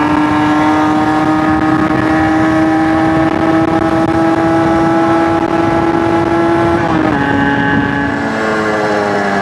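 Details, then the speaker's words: Suzuki RG125 two-stroke with fresh top end, on test ride: clean drone climbing smoothly with speed, brief dip at gear change, pulling without stutter; rides much better, main jet may go up from 195. "It rides much better. Much better."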